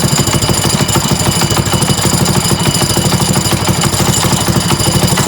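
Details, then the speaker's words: Small single-cylinder trike engine pull-started at idle: hard uneven knock on each beat, about three per second; owner unsure top or bottom end, later found to be the clutch, not engine internals. "okay so I think the knock is still there but it's I'm not sure if it's a top end or a bottom end knock it might be at bottom end but it could also just be me I don't know"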